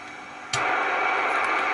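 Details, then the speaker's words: Homebrew MC1350P-based SSB superheterodyne receiver, antenna amplifier switched in, antenna reconnected: quiet hiss jumps to a much louder steady rush, a significant noise increase; ordinary band noise, receiver working normally. "get a quite a significant increase in noise so that's you know warts-and-all as someone said warts-and-all that's the circuit as it is"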